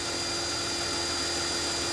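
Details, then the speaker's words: Mercedes ML350 stone-cold start after an oil service. A steady, airy Hoover-like whirr over the idle is the secondary air pump heating the cats, normal on warm-up, and it cuts off once the engine warms. "so as you can hear the secondary air pump sounds at the Hoover this will be cutting off any second if you listen"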